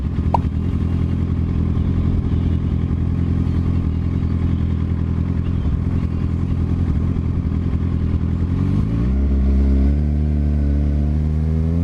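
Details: 2007 Suzuki GSX-R 750 inline-four running lumpy like on three cylinders, thin whine climbing with revs; owner suspects electrical fault, stator or regulator/rectifier; misfire with whine.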